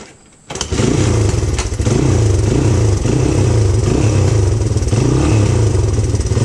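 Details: 1997 Honda XR200R pulled from a barn, on non-ethanol fuel, with a fuel leak sealed with gasket maker on an o-ring: catches after brief cranking, then a steady even thump with clean throttle blips; healthy running.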